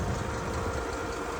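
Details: Ford tractor diesel, which had revved and died and then would not bleed, now idling. Steady, even clatter with a smooth low rumble, no misses or knocks; owner says it sounds better.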